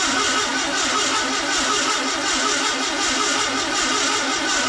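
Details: VW Beetle 1679cc single-port engine with Scat C25 cam and dual Empi ITC carbs at first fire-up for cam break-in, timing spot on, oil pressure good and charging; even, crisp run with bright exhaust note, no misses; normal running.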